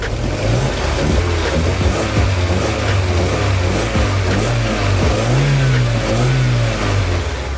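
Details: 1998 Opel Blazer DOHC LT, started with good oil pressure shown: engine revs rise and fall cleanly with throttle blips at around five to six seconds; no knocks, rattles or whine. Normal engine revving.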